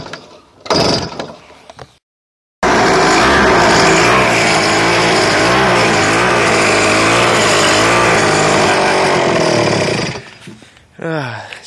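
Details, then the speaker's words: X1 pocket bike revived from non-running with new ignition, weak battery from faulty voltage regulator, started on choke: small engine buzzes at high revs about seven seconds, pitch wavering and hunting; carburetor still needs tuning. "that's what it sounds like it still needs to be tuned but yeah thanks for watching guys"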